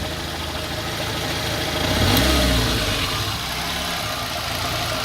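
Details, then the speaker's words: Engine running on petrol with wavering, uneven idle despite valves adjusted, new spark plugs and even compression; idle hunts and swells then sags, shaky uneven beat, rough idle, cause not yet found (throttle body or idle stepper suspected). "i jak widać nierówno chodzi teraz jest na benzynie"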